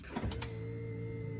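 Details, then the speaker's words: VW Golf 6 TSI petrol, ignition on after fitting a new fuel filter during a service: short click and rattle, then steady low electric hum as the fuel pump primes and fuel fills the line; normal, no leak. "là, la pompe, elle vient de se mettre en route. On entend le carburant rentrer."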